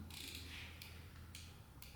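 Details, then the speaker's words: 1990 Yamaha XT600 that sat ten years, key on after reconnecting 12 volts: the turn signal relay clicks crisply and evenly about twice a second over a low hum, flasher working. "Oh, it's even blinking. The relay's working. You can hear it clicking."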